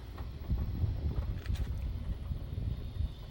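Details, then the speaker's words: LG washing machine jumping and knocking in spin: deep, uneven thumping about three times a second as the tub rocks before full speed; shock absorbers suspected worn. "look at it wobbling what why yep i think those shock absorbers need to be replaced"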